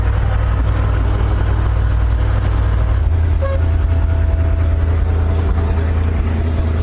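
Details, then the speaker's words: $1,400 auction dump truck started using the choke: a steady low-pitched idle with an even pulse and no ticks or misses. It is idling normally. "So, we got it running. It's running good."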